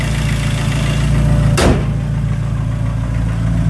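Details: 2003 Dodge Neon 2.0 SOHC after replacing the timing belt, water pump and thermostat: steady, even low-pitched idle, no squeal or ticking, one brief thump midway; earlier squeaking gone, engine healthy.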